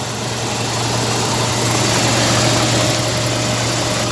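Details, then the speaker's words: 1957 Lincoln Premiere V8 idling after its first start in six months unused: oil pressure up and charging, slight ticking but a smooth, even, steady low rumble with no knocks or misses; normal idle. "we got oil pressure now the engine sounds pretty good let's go listen here we are ticking away if you guys can hear it but it sounds pretty smooth right now"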